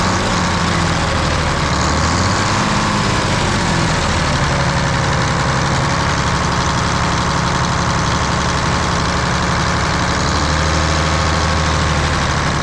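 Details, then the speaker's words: Volvo A30C articulated haul truck diesel idling, inspected for purchase, with a rapid raspy puffing chuff over the deep rumble; exhaust leak the seller had disclosed, clearly audible. "that one's definitely got an exhaust Lo which they said it did you can hear that exhaust leak in this one pretty good"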